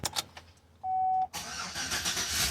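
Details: Truck V8, before deleting the VATS: brief starter whirr, then the engine catches straight away and settles into a rough, busy idle; starts normally.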